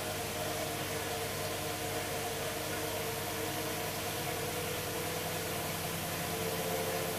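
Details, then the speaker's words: Hoover Dynamic DXCC69IB3 9KG 1600rpm washing machine on its final spin, drum reaching full speed: steady, even hiss and hum with faint tones, no knocking or rumble; very quiet, normal full-speed spin. "the drum itself is making barely any noise at all as you can see starting to spin at full speed now comparing this to the machine I did have it's very very quiet"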